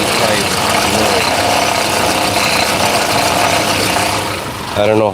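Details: 2017 Honda Accord idling, intermittent noise: loose, uneven metallic rattle at the front of the engine from the alternator decoupler pulley clutch, which is being replaced.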